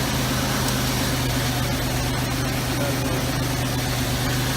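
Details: 1989 Oldsmobile Toronado Trofeo started after a year in storage; steady, even idle with a low hum, the earlier dry-start tapping now gone under background noise, engine settled and running smoothly once oil circulated.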